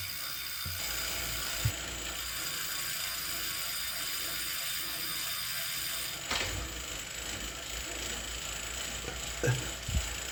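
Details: Wahoo KICKR CORE trainer with Zwift Ride, strapped to a rocker plate, gives loud, sharp, irregular clicks over a quiet whir under riding load; apparently a known trainer issue, and the unit was replaced with a KICKR CORE 2.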